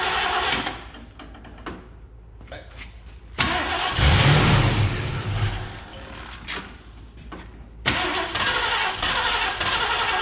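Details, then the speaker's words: 1969 Mercury Cougar Sport Special, 351ci Windsor 2V V8, sat about 20 years: starter cranks in bursts, catching only briefly, never running; fuel starvation, inlet hose full, pump suspected. "there's fuel in here fuel in what the outlet or the inlet in the inlet like that hose is full so yeah maybe our pump shot"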